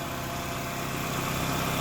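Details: 2007 Pontiac Wave idling with a faint steady whirring growl beneath the engine, from a worn clutch release bearing.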